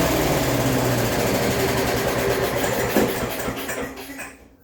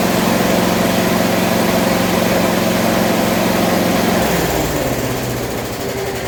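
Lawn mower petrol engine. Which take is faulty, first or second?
first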